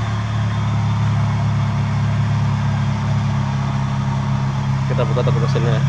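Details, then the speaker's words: 2005 Toyota Vios G, complaint of a strange engine noise at idle: steady idle hum with an unchanging rough, gravelly rumble, like a bearing outside the engine; worn AC compressor pulley bearing. "ini seperti suara bagian bearing diantara luar ya antara luar di bagian bensin yang ini"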